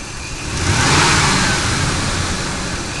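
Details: Ford F150 5.4L Triton V8 revving with a faint high whine riding over the engine: bad belt tensioner.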